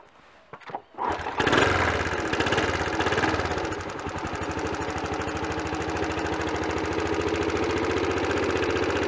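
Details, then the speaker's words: Honda CT110 small motorcycle engine after head gasket replacement, started briefly and idling, light steady tap-tap-tapping from loose tappets; excessive valve clearances, to be set cold at 0.002 in (0.05 mm). "can you hear that characteristic tap tap tapping sound that's loose or excessive bowel clearances"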